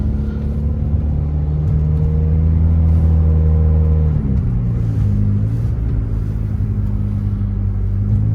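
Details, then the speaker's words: 1994 Saturn SL2 twin cam with new thermostat, on a drive: loud raspy low drone rising and falling with revs; exhaust leak from a hole in the exhaust, new one to be fitted. "So you can hear the exhaust. It does have a hole in it or something."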